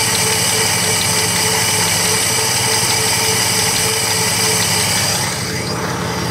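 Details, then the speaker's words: 1957 Plymouth two-door barn find, parked 20+ years, now running well with no smoke; with the mic close to the engine, a steady idle carries a faint, quick, light tap on each turn, source unclear, possibly valvetrain. "All right, very slight, but it's there, it's noticeable."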